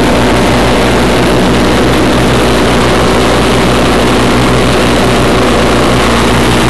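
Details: 1991 Craftsman GT6000, 20 hp Onan, first mow after deck lift eyelet bolt welded: loud, even drone with steady low thrum under blade load, no misses or knocks; normal mowing under load.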